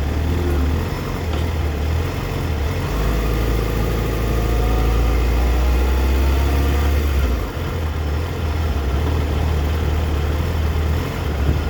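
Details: 2004 Yamaha FZ6 misfiring when coming down to idle, the idle wobbling unevenly and sagging to as low as 970 rpm against a warm spec of 1260–1320 rpm. An age-related bad ignition coil is suspected; unconfirmed.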